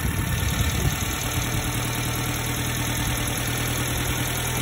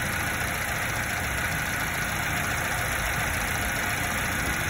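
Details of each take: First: 90s Subaru Sambar KS4 carbureted engine at idle during distributor timing adjustment: bogged when too retarded, then steady idle without misses whose rpm rises slightly as the distributor is rotated to advance timing, until no further gain. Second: 90s Subaru Sambar KS4 carbureted engine, steady even idle with idle mixture screw at half a turn: no bog, and going richer neither raises rpm nor smooths it, so mixture left there.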